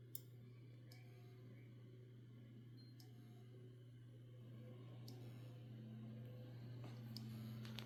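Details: 12TB hard drive that is not working: faint, regular clicking about four times a second over a steady low hum; cause unknown.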